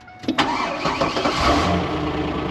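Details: 1999 Pontiac Firebird, start after fuel pump replacement through trunk access hole: short crank, catches at once, settles to a steady, even idle with no stumble; clean, healthy start.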